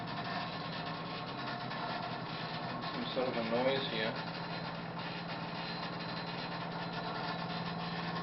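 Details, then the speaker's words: Rattling noise under a sink in a hotel: low steady growling hum with an uneven rattle over it and a brief louder burst midway, likened to an animal under there; source unclear. "Maybe it's that thing. Wow. Sounds like an animal under there. Like a big bad wolf."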